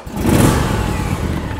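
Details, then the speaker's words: Husqvarna TS 248XD riding mower with hydrostatic transmission, started with brake pressed, blades off, throttle and choke pulled out: short cranking clatter, then the small engine catches and revs up smoothly on choke; normal, healthy start. "Push the brake in with my left foot, and then hiding under the steering wheel is my choke lever, cable, pull it out, and my throttle on the left side. So I'm going to give it some throttle, give it some choke, and"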